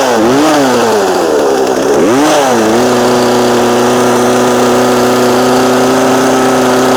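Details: Small two-stroke chainsaw during low-speed carburetor adjustment with the splined adjuster tool. Buzzy revs dip and rise twice, then settle into a steady idle. Finding: unstable idle during carburetor adjustment.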